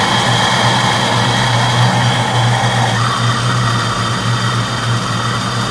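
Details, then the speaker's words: 1992 Mustang GT Foxbody V8 idling after the engine bay was reassembled, running without the mass air sensor: a smooth, even idle with a steady low burble and no misses or taps. Running really good. "but yeah it's running really good sounds good through the exhaust everything"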